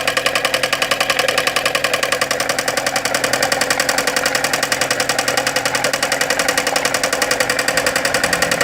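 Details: Chevrolet Corsa engine at quiet idle with a sharp, regular metallic ticking at about 3.5 per second; repetitive knock, cause not yet clear.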